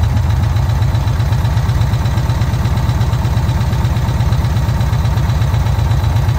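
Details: VW Kombi air-cooled engine after a carburettor jet change, idling during air mixture adjustment: low, even chuffing at a steady idle with no stumbles or surges; normal idle.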